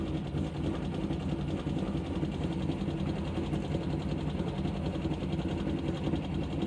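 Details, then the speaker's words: 2012 Chevy Caprice PPV with a 6.0 LS V8, one month after DOD delete, stage 2 cam, new lifters and rockers, no misfire codes: fast, even ticking from the driver's side over the idle, louder with rpm; a broken rocker arm. "so it sounds like it is from the driver's side foreign [Applause] foreign foreign [Laughter] and it gets louder with RPM"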